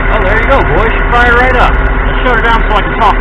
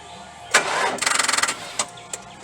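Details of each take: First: 2.0 L 4-cylinder Neon with a dead battery, jump-started by a recharged Stanley Fatmax 700 peak/350 A pack after a 10-minute wait: engine catches, settles into a steady, even idle, then is switched off; healthy start. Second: 4.6 L V8 with a dead battery on a Stanley Fatmax 700 peak amp jump pack, second attempt after about five minutes of resting: half a second of weak starter pulses, then it stops without catching; the pack cannot crank the engine.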